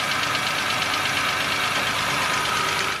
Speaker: Well, if it disappears as soon as you start the engine and its frequency changes as you rev it up, there is a good chance it's caused by tapping lifters.